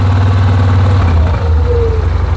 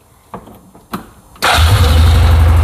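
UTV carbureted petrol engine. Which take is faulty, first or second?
first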